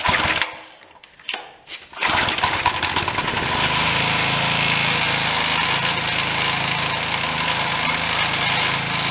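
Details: Briggs & Stratton engine after diaphragm carburetor repair, on pressure washer: after a few quiet seconds catches and settles into steady even buzzing run; normal running.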